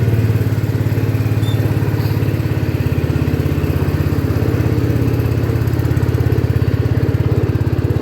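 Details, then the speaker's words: 1972 John Deere 110 garden tractor revived after years in barn, oil checked: steady even low single-cylinder thump while driving through gears, no knocks or rattles; runs smoothly, normal. "so this thing's amazing it runs awesome"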